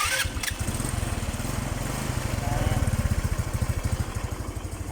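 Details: Rusi Gala motorcycle after top overhaul (new piston, piston rings, valve seals for excessive clearance and oil burning; exhaust cleaned): steady low thumping idle around sixteen even beats a second, no misses or knocks, no more white smoke; normal idle.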